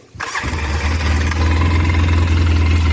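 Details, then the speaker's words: 2003 Polaris Sportsman 600 Twin ATV, sat outside over 2.5 years, started after battery boost charge: catches immediately, slightly uneven lumpy idle; carb a little dirty, runs better with choke on, needs cleaning. "started right the hell up guys I rode it around the block you can hear it the carb's a little dirty it runs better with the choke on"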